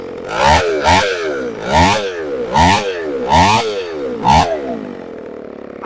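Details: Chainsaw after a new carburetor was installed: blipped up and down about once a second, revving cleanly and dropping back to a steady idle without stalling.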